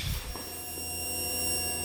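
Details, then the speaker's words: 2008 Honda Rancher 420 ATV, cranks but won't run: steady high electric whine with low hum when green and black wires are jumped; fuel pump runs normally but isn't switched on, suspected bank angle sensor or relay box. "pump is gone so the pump does work it's just not turning on with this switch here"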